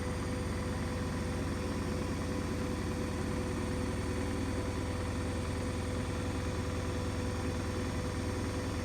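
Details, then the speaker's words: New Hoover DXC C49W3 Dynamic Next 9 kg washing machine spinning a half load, measured near 80 dB. It makes a loud, steady low droning rumble with a whirring hum, excessive spin noise of unknown cause. "and that doesn't justify that kind of noise cuz that's like barely a half load and this is supposed to be 9 kg"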